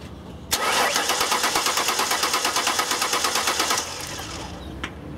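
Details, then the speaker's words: 2000 Ford Taurus with an electronic returnless fuel system, dead battery on a jump pack: about three seconds of steady, brisk cranking with no firing. A crank-no-start. "alright so first thing this is a no start well it does crank I'll let you listen to it"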